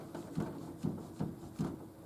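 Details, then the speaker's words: Nautilus U614 exercise bike on resistance level 4, rider pedalling: dull thump about twice a second, once per pedal turn; loose pedal working on the crank. "That's not my foot clanking. You'll hear it again."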